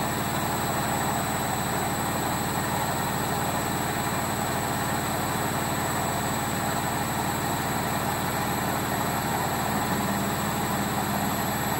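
A loud, steady roar like a distant jet fills a washer's fast spin, the sound of worn drum bearings.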